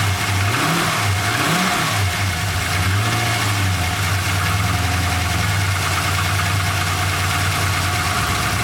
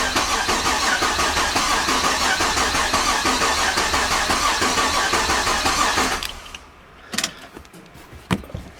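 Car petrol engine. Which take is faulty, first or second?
first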